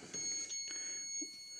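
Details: HP3456A digital voltmeter, opened up. Quick high-pitched chirps repeat from a relay inside over a quiet room. The relay is chattering on a rippling supply caused by an open power-supply filter capacitor.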